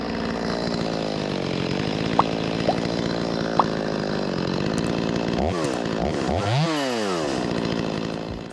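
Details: Stihl 025 chainsaw that previously wouldn't restart hot because a stiffened carburetor diaphragm flooded it, restarted hot after the carburetor fix: fires straight up, holds a smooth idle, then revs cleanly up and down without bogging. Normal hot restart.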